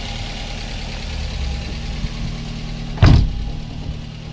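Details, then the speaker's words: Daihatsu Gran Max 1.3 after engine overhaul for lost compression (hard starting; cylinders 2 and 3 at zero): smooth, even idle with a low hum and one brief thump; fan cycles off at normal temperature, reassembly complete. "Kipas muter mati, normal temperatur. Wis komplit kabeh."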